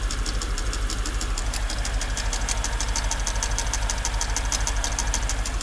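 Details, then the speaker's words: Mercedes S55 AMG V8, the day after its first short drive, mic placed at the engine: sharp, regular ticking knock about three per second over a steady idle, loudest at cylinders one and two; shut down and valve cover removed to inspect. "so yeah i don't want to run the engine too long with this sounding like that"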